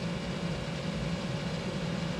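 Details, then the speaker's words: 1988 Chevrolet Suburban, blower fan on high speed, full 12 volts fed through the relay, which stays cool; steady, even rushing whoosh with a low hum, no ticking or scraping; normal blower operation. "okay we got high blower fan speed let's see if our relay gets too hot it's actually not getting warm so that's good"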